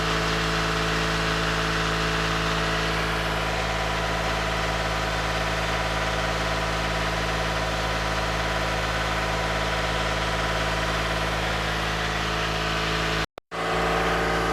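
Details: 2015 Toyota Sienna AWD 3.5 V6 after replacing donut gaskets and spring bolts at both sides of the rear catalytic converter: smooth, even idle with steady low hum, no ticking or puffing; exhaust leak fixed.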